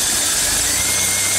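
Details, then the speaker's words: Engine at idle after a wet, squealing drive belt was treated by sprinkling corn starch on the pulleys. Only a steady hiss and faint hum remain, with no chirp or squeal; the belt now runs quiet. "Bien amigos pues como han visto el sonido ha desaparecido Ojala que les haya servido y lo puedan hacer en sus casas."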